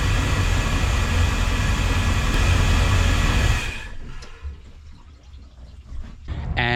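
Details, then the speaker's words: Volvo Penta 5.7 V8 in a 2004 Chris Craft 33 Express Cruiser, after a new serpentine belt was fitted despite a broken tensioner adjustment square. A deep, steady rumble for a few seconds, then it fades off, with no belt squeal. Healthy idle. "finally ready to get back on the water after several weeks of trying to get everything ready so we're going back out so we have the engines running"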